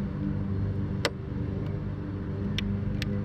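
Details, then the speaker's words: Electric bike lithium battery pack with a built-in relay: one sharp click at key-on over a low rumble. The relay closing shows the battery still has some charge. "yeah you can hear the click there uh that at least means there's some juice in the battery still"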